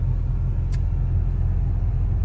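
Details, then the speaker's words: Lexus ES300 driving after alternator replacement: steady, even low road-and-engine rumble with the previous alternator whine gone; much quieter, normal running. "It's so much quieter. I'm just glad not to hear that whine anymore."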